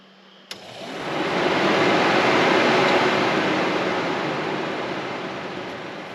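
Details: Radiator fan switched on during wiring check-out after the wiper vacuum pump, on a build being readied for Sick Smokies; kicks on and settles into a steady, even rush of air with no rattle or scrape, running normally.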